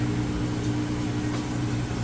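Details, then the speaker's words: Whirlpool vortex top-load washer, spin self-balancing while the drain pump runs: a smooth, steady low hum with an even pump drone and no thumping or banging; the spin is normal and balanced. "And even on this one, as it kind of self-balances, it's nice and smooth and sounds great."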